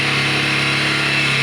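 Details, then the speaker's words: 2018 Bajaj Pulsar 150 BS4 single, kick-started after replacing the failed CDI coil and refilling petrol, after sitting about 5-6 months: even buzz with no misses or rattles, holding speed; the engine runs healthy. "ఇప్పుడు ఒకసారి kick కూడా చూద్దాం. చూడండి, మన vehicle start అయింది."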